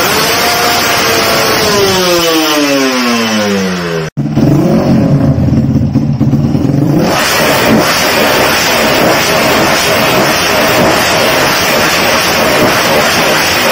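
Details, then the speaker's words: Carburetted motorcycle shown as a reference example of correct pilot jet and main jet carburetor settings, in a guide covering 2-stroke and 4-stroke bikes. The engine climbs cleanly through the revs, then holds a strong, even roar with no popping or stumbling; revving normally. "nah itu contoh yo yah settingan yang pas antara motor-motor yang itu"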